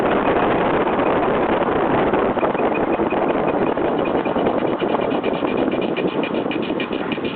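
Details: Car brakes while driving: steady rough scrape over road noise with faint rhythmic pulsing; brakes scraping, cause not yet found.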